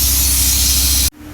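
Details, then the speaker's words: Mack truck, service brake pedal wedged down: loud steady hiss of air that cuts off abruptly, leaking at a 30/30 brake chamber past a band clamp folded back, likely hit by rocks. "so it looks like we got going on here left a hit or rocks or something with this band clamp on this can hear it's leaking right here you can see that this band clamp folded back and right there's where our leak is"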